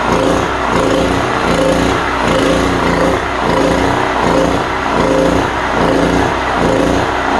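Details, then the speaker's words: Cheap import generator engine swells and sags about once a second, holding only on choke; a plugged carburetor is suspected and will be cleaned. "Gotta choke it down a little bit to make it run. It must be plugged up in there somewhere."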